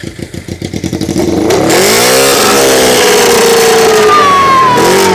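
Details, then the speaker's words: Motorcycle after repair; quick cranking catches into a crisp even idle, then clean revs rising and falling smoothly; running properly, only a little fine tuning left. "Yeah. We got a little bit of fine tuning to do, but that thing is almost there. We almost there."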